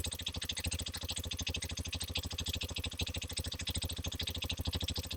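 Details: Hero XPulse 210 motorcycle, January 2026 batch, about 500 km, mic placed near the engine to check for tappet noise: an even single-cylinder idle thump with light valve chatter and no tappet tapping, a healthy idle.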